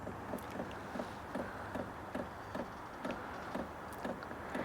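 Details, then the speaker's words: Sunster TB10 Pro toolbox diesel heater at first startup, 60°F: crisp, even ticks about 2.5 per second over soft fan hiss; normal fuel dosing pump priming before ignition. "You can hear the ticking of the uh fuel pump right there. This ticking right here before the the the diesel heater actually starts up, that is completely normal. That's always going to happen."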